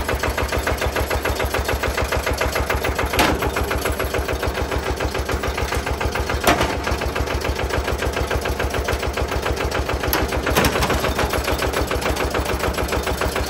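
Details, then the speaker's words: Benford TS25 radial swing concrete buggy with single-cylinder Lister diesel, started by hand crank, big centrifugal weight inside: steady, even thump about 200 a minute with a clean tick between beats; running smoothly after starting. "It is a very distinguishable, unique sound. Like I said, it's the only single cylinder. You could hear it. There's a big centrifugal weight in there."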